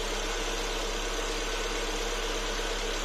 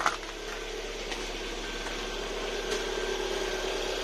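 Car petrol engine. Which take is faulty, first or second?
second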